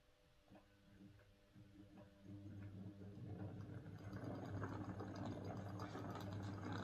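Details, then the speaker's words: Model locomotive on a Morley Vector 03 Crawler controller instead of a Hornby HM2000 whose PWM caused buzz; soft even motor hum on slow pull-away, no grinding or buzz. Normal smooth running. "okay i'm very pleased with that that is quite a difference it's much smoother and pulling away it doesn't have that awful grinding noise and it doesn't buzz"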